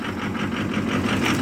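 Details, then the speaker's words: 2006 Ford F-250 Super Duty 6.0 Power Stroke diesel, started after block heater plugged in about five hours, idling rough with uneven lumpy pulse, phone on steering wheel; also hard starting cold, loss of power; fuel pressure just over 50 psi; cause unknown. "anyway i don't know if you can hear how rough it's running put the phone down on the steering wheel it's running rough"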